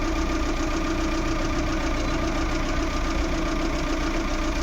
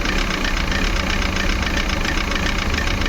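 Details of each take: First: Maruti Suzuki Eeco petrol with company-fitted CNG after replacing faulty MAP sensor (code P0108): smooth, even idle hum, steady low rumble, no stumbles; earlier jerking and whole-engine vibration gone. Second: Maruti Suzuki Eeco petrol with company-fitted CNG at idle, ignition on, check engine light lit: uneven shaky idle, lumpy low pulse, clatter on top, whole engine vibrating; misfire traced to faulty MAP sensor, code P0108.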